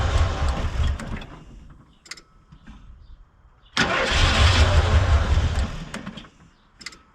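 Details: 1991 Ford F150 4x4 sat outside for years, cold 30-degree weather: starter cranks evenly about three turns a second in two bursts but engine never catches; crank, no start, air cleaner to be checked.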